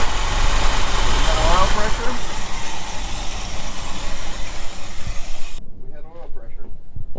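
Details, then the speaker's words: 1975 Ford F-350 ex-Seattle Fire Department truck, first run after sitting about 20 years: a lumpy, uneven idle that wanders and never settles; rough throttle, likely a carburettor issue, probably a vacuum leak or two. "all right sounds like some carburetor issue probably have a vacuum leak or two"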